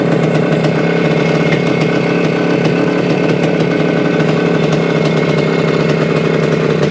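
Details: 1975 Suzuki TS-250 two-stroke, 6-volt system, after no-start repair: even, crisp buzz holding steady speed, no misses, knocks or rattles; runs smoothly after stator rewired, coil remounted on scraped frame.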